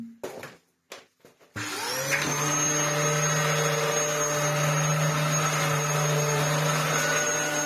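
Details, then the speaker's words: Dyson DC07 Argos Special after a new belt and tune-up: a few clunks as the belt zips up and rides high, then a steady, even motor hum with a clean high tone and no flapping or rubbing. Running fine. "yeah I think that's running absolutely fine all that was was the belt zipping up Riding High yeah I think it runs okay"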